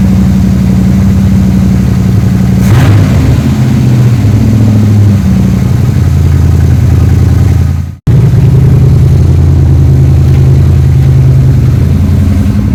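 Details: 3rd-gen Chevrolet Camaro Z28 carbureted V8 idling after replacing spark plugs and plug wires to cure a dead cylinder and misfire: deep, steady burble, even beat on all cylinders, no misfire stumble; engine now healthy.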